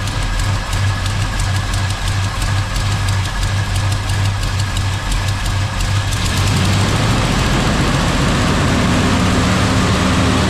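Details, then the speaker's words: Chevy K10 with newly built V8, first start before camshaft break-in: lumpy idle about three beats per second, then revs rise. Leak between header and flange; owner suspects crossed plug wire or bad distributor cap. Rough idle. "The header tube headers. It's leaking between the header and the flange, but it seems like it's got a cross wire or something. Something ain't right about it."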